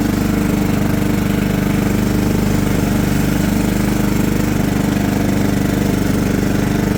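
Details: John Deere LT150 mower with replacement 15 HP Kohler engine, freshly swapped and mowing grass: steady, even single-cylinder thump holding its beat under cutting load, no knocks or misses; runs well.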